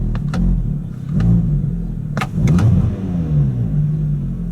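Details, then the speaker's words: 2010 Volkswagen Jetta SportWagen 2.5 SE, 2.5 L inline five-cylinder, revved and heard from the cabin: raspy puffing edge from an exhaust leak present for a few years. "Love how this engine sounds. And when you get on it, this thing is nice. But yeah, definitely has an exhaust leak. That's been there for a few years."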